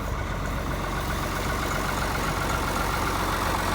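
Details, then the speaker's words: 1955 White (rebadged Oliver 1955) diesel tractor idling after jump-start from a Land Cruiser ute, blowing diesel smoke: steady, even low rumble with clean regular beat, no knocks or misses; healthy and settled. "But yeah, another old diesel comes to life. I wish you could smell that magnificent diesel smoke through the video."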